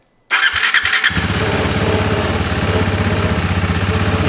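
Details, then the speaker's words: KTM Duke 390 on the factory exhaust before fitting a Pro-Race shorty pipe, not fully warmed up: brief starter whir, then a soft even single-cylinder thumping idle, very quiet, no knocks or rattles; healthy. "the bike is way too quiet you can barely even hear it i don't like it's too quiet"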